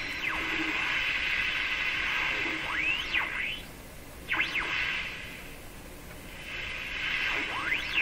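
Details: Sparton Model 5049 radio after replacing the remaining wax capacitors: high whistles sweep in pitch over steady hiss while tuning. Oscillation remains; cause suspected, not confirmed.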